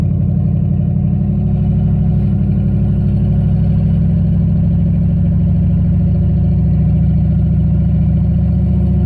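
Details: Turbo LQ4 V8-swapped Ford Ranger with On3 2-bar MAP sensor: deep, steady V8 rumble holding evenly with no knocking or misfire stumble; engine running cleanly.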